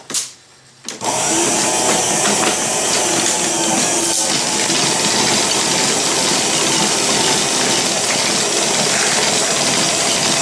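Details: 1930s Paces Races horse-racing payout slot machine, previously restored, running a race: steady busy whirring with a quick regular clatter about three or four per second; the race mechanism runs evenly and sounds right.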